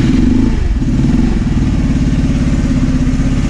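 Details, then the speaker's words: 1985 Honda Elite 150 scooter, 3000 miles, barn find first start after carburetor hose work: uneven, lumpy single-cylinder putter under blipped throttle, idle sagging and wavering before stalling; won't hold idle. "Can't believe it runs. And it dies. It died."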